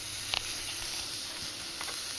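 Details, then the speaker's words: Daikin 3-port multi-zone mini split outdoor unit, bubbles sprayed on line fittings: steady sizzling hiss like frying bacon, no machine noise; refrigerant blowing out of a broken flare fitting, to be re-flared and leak-checked. "sounds like bacon siing but it's definitely definitely got a leak right there it's just blowing"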